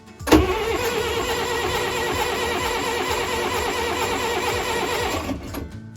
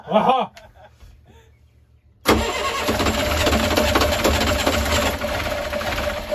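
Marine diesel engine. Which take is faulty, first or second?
first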